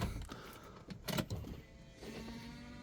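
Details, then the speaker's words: 2005 Hyundai Trajet 2.0 CRDi diesel that is hard to start and cuts out while driving (owner suspects injectors): at key-on a few clicks, then a low, steady hum as the fuel pump primes and runs normally. "Ah, bon, on entend la pompe, hein."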